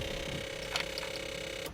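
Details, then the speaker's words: Supercharged Ford Ka converted from Ford wasted-spark to Nissan coil-on-plug ignition, first key-on: steady buzz with rapid light ticking that cuts out abruptly; owner suspects rewired coil power draw tripping the relay. "that didn't sound great what was that i don't know okay i think i think i know what's going on"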